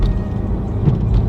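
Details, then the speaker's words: Dodge Challenger on lowering springs after installing adjustable upper control arms and alignment, driving over small bumps and a reflector: low steady road rumble with no knocks or clunks from the front suspension, sounding normal. "But I will say, let me see. No clunks, no clunks, no clunks."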